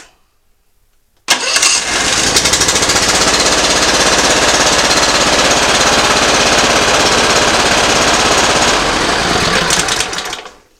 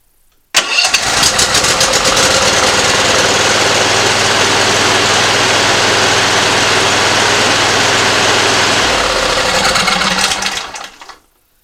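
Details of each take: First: Simplicity ZT2500 zero-turn mower, Briggs & Stratton Professional 724cc 24HP V-twin, pulling plug wires one at a time: runs fast and busy then dies; one cylinder dead, bad coil or plug suspected. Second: Simplicity ZT2500 zero-turn mower, Briggs & Stratton Professional 724cc 24HP V-twin, after replacing the bad ignition coil: fires up and holds an even steady beat on both cylinders; running clean.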